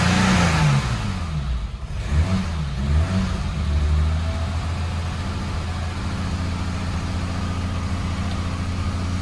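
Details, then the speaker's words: 1987 BMW E30 325iS, M20B27 SuperETA 2.7 on standard 15-lb injectors, first start with a new ANSA exhaust: revs hunt and sag, then a lumpy, barely holding idle. Owner is unsure whether it is an AFM vacuum leak or the injectors. "well i'm not sure if that's afm vacuum leak or if that's just the fact that i'm running a 2.7 with the standard 15-pound injectors"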